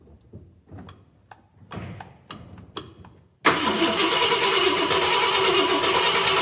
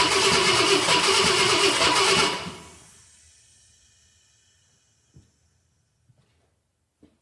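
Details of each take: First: 1966 Ford Galaxie 500 XL, 390 FE V8, first fire after a 4-barrel carb and intake swap: slow, even cranking that never catches, then a loud steady rush; cranks without starting, fuel covering the intake. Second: 1966 Ford Galaxie 500 XL, 390 FE V8 during a 4-barrel carb and intake swap: about two seconds of strong, even starter cranking that stops cleanly, nothing dragging; fuel pump throwing fuel, normal cranking.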